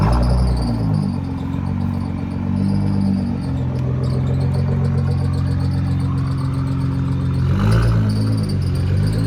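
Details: Nissan GT-R: fast chirping squeak three or four times a second over a steady low hum; source not yet pinned down.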